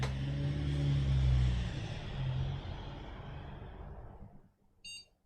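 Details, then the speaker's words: Old AMD FX desktop with GTX 550 Ti and a single PC3-10600 RAM stick, dusty cooler, drives disconnected: fans rush up on power-on and settle, then one short clean beep; posted first time with no hesitation, a normal start. "it posted first time straight away no hesitations"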